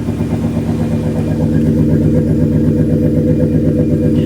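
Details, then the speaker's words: Ford Crown Victoria engine at idle after work on the fuel system, fuel pump known to work: rough, lumpy idle with an uneven low thump about four times a second; still misfiring but running slightly better, owner suspects it needs injectors. "mean definitely still misfiring but it does sound like it's running a tad bit butter uh yep he's probably going to need injectors"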